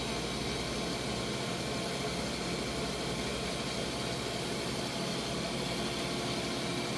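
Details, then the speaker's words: Freeze dryer vacuum pump in final dry with bell peppers, room about 78°F (high room temperature warning), pump runs warm with a fan on it: constant smooth hum and airy hiss, no rattles; running normally. "Everything's been working really smoothly here. I've had no problem whatsoever."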